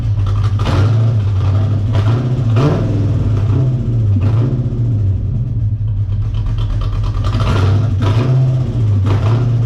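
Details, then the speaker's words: Chevrolet Corvette V8 just after installing a Hypertech chip: deep rumble surges and sags unevenly every couple of seconds, never holding steady revs; rough running because a component was left disconnected. "i just installed i might cut it up and chop it up but it was just running like complete [ __ ] and that's because i forgot the [ __ ] was out of the game"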